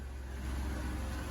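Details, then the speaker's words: Van with repaired 400 engine, about 420,000 km, after repair; quiet even low idle, no knocks, ticks or misses, cooling fan coming on and residue burning off; sounds good. "the fan comes on blows all the stuff burning off on it at least we know the fans come on she sounds good"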